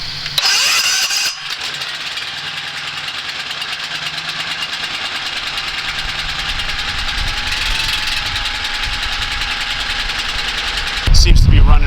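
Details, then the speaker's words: Landscaping shop's main house generator that would not start, owner suspecting the battery: jumped with a boost box on the starter, it cranks, catches and settles into a steady, even run with a low drone, running normally. "fine. You can hear it in the background."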